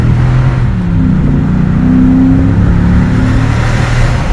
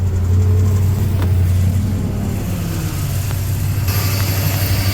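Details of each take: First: Ford F-250 Super Duty 6.2 V8, warmed up after about 20 miles, no check engine light after multiple cylinder misfire repair: deep rumble rising smoothly under light throttle, even with no miss or stumble; engine running healthy. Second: Ford F-250 Super Duty 6.2 V8 with multiple-cylinder misfire at idle: uneven stumbling idle with a faint light ticking; owner suspects a broken valve spring, not loud; coils to be checked first.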